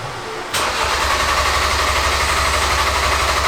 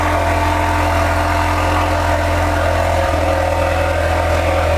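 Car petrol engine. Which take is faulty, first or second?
first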